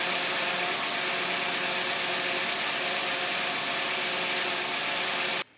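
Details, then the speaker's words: VW Passat 35i, newly fitted power steering pump, first test run right after filling fresh fluid and before bleeding: steady hissing, whirring noise with a thin high whine over smooth idle, air still in the system. "Jetzt können wir mal vorsichtig laufen lassen und lauschen, was die Pumpe so sagt."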